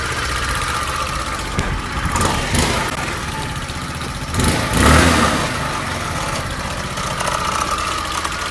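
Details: Lexmoto FMS 125 small single after valve clearances set, new spark plug and clean-up, idling to charge battery: steady buzzing idle under background hiss, no knocks or misses; healthy, though owner notes a weird vibration when revved, possibly baffled air filter and small exhaust.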